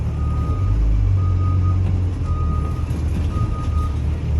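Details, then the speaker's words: Connecticut school bus pre-trip, placed in reverse during the brake test; a clear high beep repeats about once a second over the low rumble. The reverse alarm works. "Second, fourth, drive, neutral, reverse. I can hear my reverse alarm. Everything sounds good with the transmission."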